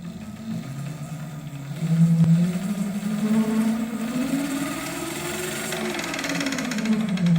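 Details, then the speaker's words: 7x14 two-speed mini lathe running: wavering hum with a fine uneven clack, suspected chatter from headstock gears, worse in the other speed; unconfirmed, motor noisy and underpowered. "That's going to be the gears in here. torque now, but a little bit of clack clack."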